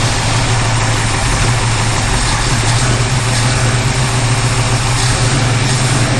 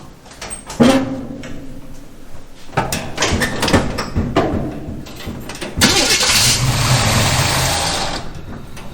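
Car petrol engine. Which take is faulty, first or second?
second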